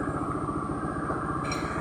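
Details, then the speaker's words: Honda Spacy FI scooter after repair of rough-noise complaint, final drive (gardan) bearings and CVT case bearing replaced: even, steady idle pulse with no clatter, rattle or grinding; CVT now smooth and responsive, normal running. "sudah selesai misi sudah malam ini sekalian [Musik] suara CVT nya sudah halus responsif"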